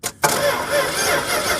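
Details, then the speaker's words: Circa-1975 Dodge pickup 360 small-block V8 that sat outside about 15 years, cranked via a battery wired straight to the starter with a push button: after a pause it turns over steadily with an even, pulsing rhythm. Compression seemed audible. "so now that we know that it turns over you really are just looking for the basics which is compression fuel air and Spark I think air is getting in I thought I heard compression while it was cranking over"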